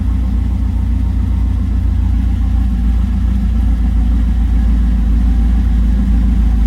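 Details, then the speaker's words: 1978 Trans Am SE with LSX engine and FiTech EFI, first start with oil pressure showing: deep, steady V8 idle with an even lumpy beat and no knocks or ticks; engine sounds healthy. "Alright, I'm gonna turn it off. That's amazing. It started. It sounds good. I think it's alive."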